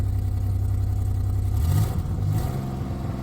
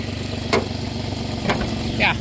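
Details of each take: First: 2008 Dodge Grand Caravan SE V6 at 448,554 miles, cold idle with a low uneven pulse cutting in and out: intermittent misfire despite new plugs and wires; owner suspects tired engine, coil pack wiring or bad coil packs. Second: 2008 Dodge Grand Caravan SE V6 with about 448,000 miles, warmed up, after a new coil pack, wires and plugs: a steady, even low idle with a few brief clicks and no stumble. The owner suspects coil wiring causes its rough running. Normal idle now.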